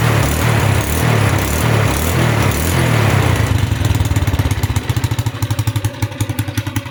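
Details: Honda Wave 100 kick-start single-cylinder motorcycle, started after sitting about a year: brief revs, then a steady even idle with no knocking, rattling, hunting or smoke; healthy engine.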